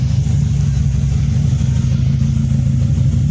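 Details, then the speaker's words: Toyota Vios idling after fixing an ECU/fuel pump fuse no-start; rough, uneven low rumble, misfire with check engine light, ignition coil number three fault code. "Umaandar na siya pero may check engine."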